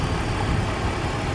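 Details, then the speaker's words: BMW after clearing bank 1 and bank 2 codes: briefly seemed to misfire at first start, now smooth, even low idle with no ticking or stumbling; normal idle. "But out here, she's purring. I don't hear any funny noises. Seems to be running really well."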